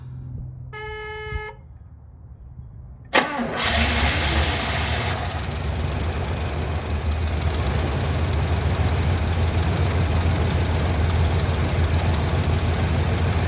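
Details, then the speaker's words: 1976 Oldsmobile Vista Cruiser V8 cranked after sitting over 21 years, on its own fuel system and pump; chime, brief starter grind, catches and settles into rough uneven idle; cranking and starting after long storage. "Actually, I might just try to crank it first to see what happens, but let's see if it'll pull off its own fuel system and whether or not the actual fuel pump in the car is all right."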